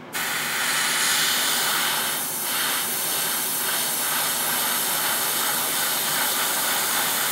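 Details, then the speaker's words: New Gaahleri GHAD-39 Advance airbrush spraying paint on an unprepared kit: steady even hiss with no spitting or pulsing; beautifully smooth spray. "oh yeah this is beautifully smooth oh it's coming out like butter like butter"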